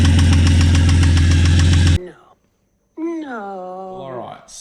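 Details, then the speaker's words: Ford Falcon XR6 Barra inline-six with a hard, regular rod knock at idle, about three or four a second. It persists after thick oil and an oil stabilizer were added; brass found in the oil. "the oil stabilizer didn't work we put oil in the engine and it's still knocking its head off there's brass in the oil"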